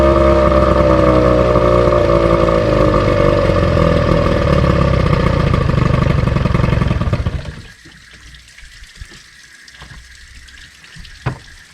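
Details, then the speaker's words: Outboard on a restored 1972 Glasspar (Larson) boat, on muffs, unrun since April, carburetor run empty for storage: loud, slightly uneven beat near three per second, then cuts out abruptly; rough running, cause unconfirmed. "but in april she ran like a top and for some reason it wasn't running quite so good"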